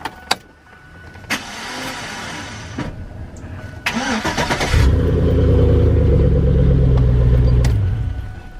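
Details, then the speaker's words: Chevy Silverado 5.3 (1999-06) starter: after the key turns a steady whir spins up for about three seconds with no cranking beat; starter drive gears not engaging the flywheel, starter being replaced. "did you guys hear how it spun over as soon as I turned that key? I turned the key over and it makes that spinning noise. That's the gears in the starter not engaging."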